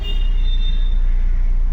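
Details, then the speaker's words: Audi Q3 diesel, repaired after a crank-no-start fuel pump fault after sitting two days: a deep, even diesel rumble with a steady beat and no misses or knocks; it starts and runs perfectly and the fuel gauge reads correctly. "ये देख सकते हो engine एकदम perfect start हो गया।"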